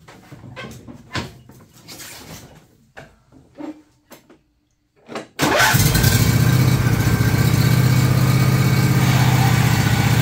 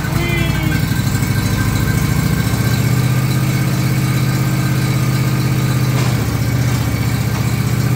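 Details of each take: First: John Deere LA135 lawn tractor running with the clutch let out: harsh, rough drone from two worn idler pulley bearings under the body between the deck and body, which tension the belt. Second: John Deere LA135 lawn tractor after noisy bearing replaced, clutch let out: steady, even engine drone with no squeal, chirp or rattle from the belt drive; running smoothly.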